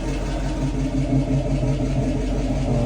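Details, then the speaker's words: 1966 Mustang in drive after half-shaft bearing replacement, rear disc conversion and differential maintenance, previously noisy rear left wheel: steady low drivetrain hum, no whine, growl or clunk, differential dry; rear axle quiet. "move it to uh to drive yeah this is dry and he's working nicely listen down there nice and quiet"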